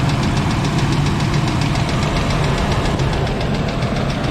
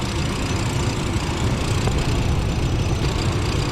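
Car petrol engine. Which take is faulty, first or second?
first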